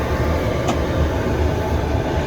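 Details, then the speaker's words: Coleman Sequoia popup camper furnace, running at about 68°F inside: steady low rumble and whoosh, no knocks or squeals; warm air, furnace working well. "The air is getting warmer, and yeah, it's working good."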